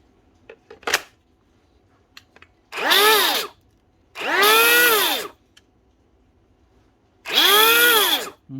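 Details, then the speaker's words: DeWalt 18V cordless drill with a sawdust-filled housing, opened for repair: three high whirring spin-ups and wind-downs with a faint rough rubbing edge. The bearing was checked and found fine, so the source of the rubbing is still unknown. "Where is that rubbing coming from? There's nothing wrong with the bearing"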